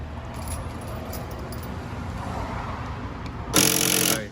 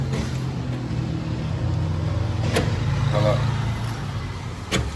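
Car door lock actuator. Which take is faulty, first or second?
first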